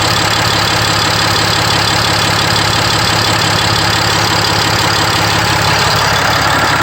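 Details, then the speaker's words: RAM 5500 with 6.7L Cummins diesel idling right after upper fuel filter replacement and priming; fired up almost instantly, now checking for leaks. Even, steady diesel clatter with no misses or surging, a normal idle. "Now we're running, we fired right up. Okay, let's go outside. Yeah, it's running. Check for leaks."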